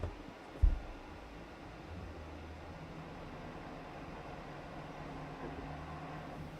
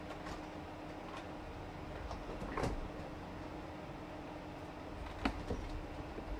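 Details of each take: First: PC with a failing fan bearing: low, rough fan drone with a wavering growl that swells near the end; customer suspected an obstruction but none was found. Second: Custom PC build: steady, even airy whoosh with a faint constant tone and no rattle or grinding; fans running smoothly, sounding much better.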